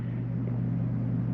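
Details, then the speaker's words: 2022 Jayco Eagle 28 5RSTS, main air conditioner switched to cool mode; steady even low hum with no rattle or surging as it kicks on; normal running. "Alright, we'll go to AC main here. We're going to change our mode to cool AC. You hear that kick on?"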